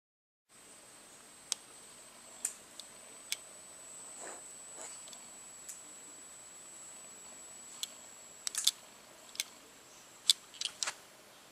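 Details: Sony NEX-5N camera body giving sharp, irregular clicks over a faint steady high-pitched electronic whine; clicking persisted after a service-centre repair: intermittent clicking.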